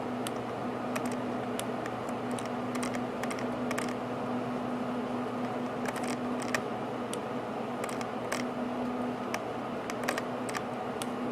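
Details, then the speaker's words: Roccat KONE XTD mouse scroll wheel: normal clicks when scrolling up, but light, irregular extra ticks when scrolling back down with no pressure applied, as if something inside is loose; cause not confirmed. "so as i scroll up basically normal clicks but when i scroll back down did you guys hear that right there that minor click back like it's clicking down like there's something loose in there watch or listen"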